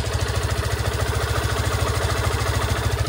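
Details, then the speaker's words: Yamaha FZS-V3 motorcycle at about 31,979 km, just started: steady even idle with soft regular pulses, no knocks or rattles; engine sounds healthy. "যে গাড়িটা start করলাম আমরা, দেখেন যে sound আপনারা শুনতে পাচ্ছেন ভিউয়ার্স। আমি যদি এই এক্সস্টটা বন্ধ করে দিই তাহলে আমার ইঞ্জিনের সাউন্ডটা দেখেন,"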